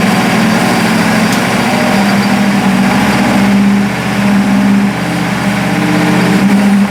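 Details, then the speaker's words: Burnt Buick P12 engine after new plug wires, cap, rotor and points, timing unchecked: smooth even idle with steady low hum, no knocks or misses; sounds healthy, carburettor adjustment hard, oil leak from filter area noted afterwards. "it sounds pretty good and and I don't know if the timing's right I just put the plug wires cap rotor points it I didn't change anything or check anything"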